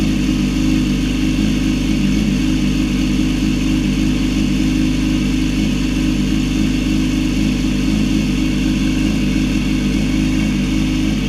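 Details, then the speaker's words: Yamaha R6 (2006–16) after a left-side crash, following reinstallation of a starter idle gear that had fallen out of place under the left stator cover: steady, even engine note with no starter rattle or grind. Normal start and idle after the repair. "right. After all that, your R six should sound like normal whenever you start it."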